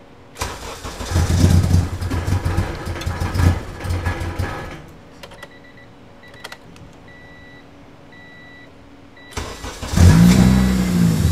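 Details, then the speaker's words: Budget EG Civic with a K-series engine swap on an RSX base ECU, first start: the engine catches roughly, surges and fades, then refires, unable to hold an idle due to the wrong fuel injectors. "it's after work I've let everybody go home so uh I'm gonna wait till tomorrow to uh fix all these problems and see why it doesn't want to idle"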